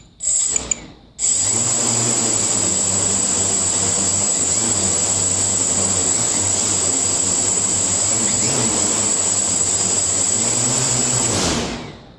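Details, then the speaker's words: INAV quadcopter on a PID tuning stand, pitch P gain lowered from 25 to 20. A high steady motor whine with a slow wobble in the low hum underneath: the oscillation is slower but still present, so P is still too high. "okay see how the oscillation were slower but it's still oscillated so p is still too high"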